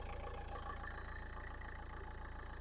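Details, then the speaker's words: 2011 Nissan Qashqai 1.5 dCi K9K diesel, 222,000 km: quiet, even idle with a soft regular low thrum and no clatter or misses; the engine runs healthy. "Все працює. Мотор працює тихо, рівно."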